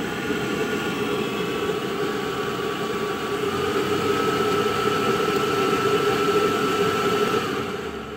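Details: Navien NR-240A gas water heater running: rushing roar with a faint wavering tone rising and fading unevenly; loud noises, irregular intake, intermittent error 12 flame-out and uneven heating despite cleaning and a new flow sensor; cause unclear.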